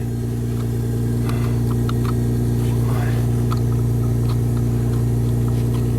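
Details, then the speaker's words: 1999 Honda Accord V6, almost 280,000 miles, after fixing a crank-no-start with no parts: steady, even idle with a smooth low hum while warming up, no stumble or misfire, running on all cylinders; normal idle. "there we go we'll let it warm up a bit sweet well like i said no parts required"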